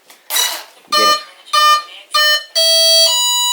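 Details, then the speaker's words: HobbyKing Arcus F3A electric RC plane, battery plugged in with prop off and radio on: three short rising beeps, a pause, then two longer tones; the ESC's normal arming tune, ready to fly. "you can hear there the ESC and motor all get ready to go"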